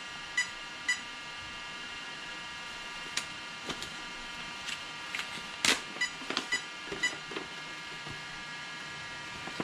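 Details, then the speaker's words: Arrma Kraton 8S ESC: faint high beeps in groups, a clear set of three near the end over handling clicks, the sensor loss code per the chart; the 2028 motor is suspected to have come apart inside. "so three beeps one two three sensor loss i really think rc guy garage is correct it's inside this motor"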